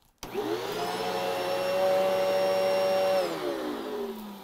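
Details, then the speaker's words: Sharp bypass bagged upright vacuum from the late 90s to early 00s, after cleaning and fitting a new belt: motor spins up to a steady even whine, holds pitch, then winds down smoothly; normal running. "now we are going to go ahead and give this guy a test run and just see if it has that old classic sharp sound and feel."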